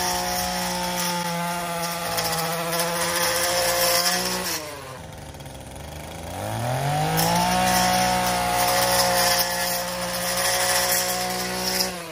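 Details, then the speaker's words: Echo PAS-2620 multi-tool with curved-shaft edger attachment: a steady high two-stroke buzz sags for about two seconds as the blade digs into dirt, then recovers to full revs; a normal bog with no loss of performance. "right there I felt a noticeable bog. It didn't sacrifice any performance or anything, and it was fine."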